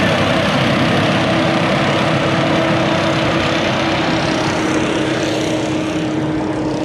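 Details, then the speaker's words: Swather with header: busy clattery machine roar with steady hum; the rattle is sheet metal on the header cracked from years of vibration, not bearings; a patch is planned. "this morning there was some sheet metal that had cracked just from vibrations over the years so that's the noise you hear it's nothing no bearings or nothing going out it's just a sheet metal that was cracked"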